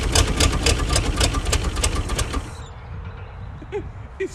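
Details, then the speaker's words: 1956 Chrysler Windsor that sat for years: engine catches and fires unevenly for a couple of seconds on fuel sprayed over the motor, then dies; fuel system not delivering. "All right, guys, the proof is there. This car will run, and I'll talk to the owner and see if he wants to dump any money into it. New fuel filler necks, and pump if we need it, all that stuff."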